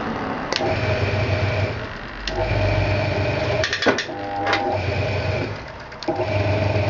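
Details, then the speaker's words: Hoover 200M washing machine dry-run on test after sitting outdoors: steady low hum with a soft rhythmic clatter about four times a second and even pauses; timer and mechanism working normally. "sounds like it's doing what it should sounds like it's doing what it should the timer going time is doing what it should"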